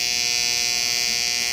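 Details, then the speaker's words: AHU control panel contactor humming with a loud, steady electrical buzz with a sharp high edge; cause not yet found. "तो इसमें से देख सकते हैं आप लोग कितनी आवाज़ आ रही है कॉन्ट्रैक्टर के अंदर"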